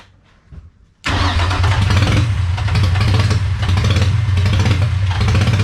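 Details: Freshly rebuilt VQ35DE swapped into a 240sx S13, on first start: uneven, lumpy, stumbling idle. Owner blames many vacuum leaks.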